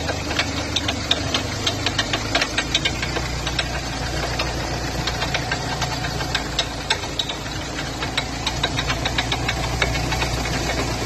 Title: Ford figo abnormal noise while turning time/ drive shaft repair/drive shaft bearing replacement